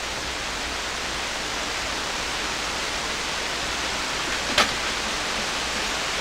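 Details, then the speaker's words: Hammarlund SP-600 communications receiver on bench supply, around 16 MHz: steady even hiss with one brief click, no hum, crackle or fading; normal receiver background noise. "There. That sounds good. I like that."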